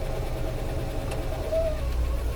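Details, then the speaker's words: 1956 Cadillac Sedan DeVille automatic, cool day, idling in drive after about 100 miles driven: thin steady whine over the low engine burble, quieter than before and mostly gone in park; transmission whine in gear. "so yes see if you hear that squeaky that whining noise now remember the clip you just saw it's actually not as loud as it used to be it's not a good noise"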